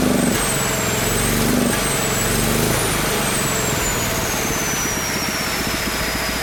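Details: Small single-cylinder engine on a Mikuni carburetor (jetting from a two-stroke) and a temporary 3D-printed PETG intake manifold: fairly steady, busy beat with no misfires or stumbling; runs well, with a slight low-end velocity issue from the large carb.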